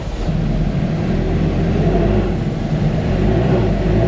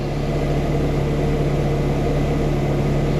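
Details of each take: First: Ferrari with a newly fitted battery: starter churns steadily for several seconds before the engine catches, slow to fire. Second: Ferrari after clearing codes and doing left and right Motronic recovery: smooth even idle with steady low hum, no misses, no codes, no blinking check engine light.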